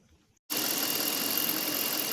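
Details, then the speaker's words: Engine idling with intake cover off before a Seafoam combustion chamber cleaning: fast fine injector tick over a hissy idle, plus a slight bottom-end noise. "as you can tell there's a little bit of ticking going on a lot of that noise you're hearing is the injector tick because the intake covers off but there is a little bit of a bottom noise"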